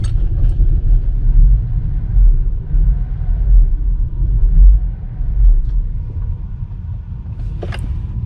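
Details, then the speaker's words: 2013 GMC Acadia that runs rough, stalls or won't start after refuelling: low, uneven idle that lopes and sags with no steady beat; owner suspects a bad evap purge valve stuck open (P0496), to be replaced. "Okay, so you saw how the truck reacts. I believe it has a bad purge valve."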